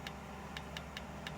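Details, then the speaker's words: Nespresso Aguila 220 (Thermoplan) commercial machine not foaming milk: rinse valve clicks repeatedly, about four a second, over a low hum, suspected to be the board not supplying enough power; suspected solenoid valve chattering. "This valve is actually clicking. Can you hear that? So, we've obviously got a board issue."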